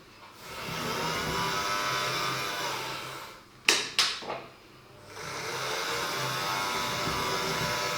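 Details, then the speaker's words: Dapol Class 09/08 O-gauge shunter running on track at about 45% after grease on the main gear and 30 minutes of running-in each way at 40%: steady high whirring whine with brief clicks; the drive gear still sounds about as noisy. "I'm not really sure. Sort of sounds the same, I think, to me."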